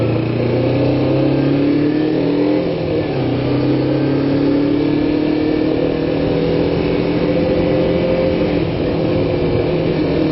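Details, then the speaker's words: Kawasaki Ninja 250 (EX250), carbureted, cold start after sitting about a week, full choke: even elevated idle with a steady tone and slight wavering; choke to be turned down gradually after about 5 minutes or less. Normal high idle on choke. "It's idling pretty high right now. After, I don't know, well, maybe 5 minutes or less, you turn down the choke gradually."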